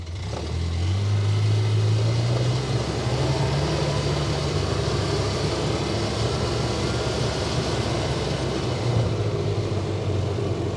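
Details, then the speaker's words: 2011 Polaris Ranger 800 XP after 4x4 drive repair, in all-wheel drive: steady engine drone under light load with a brief rise, no clunks or grinding from the driveline; previously made horrible noises in four-wheel drive. "no noises so far that's a plus"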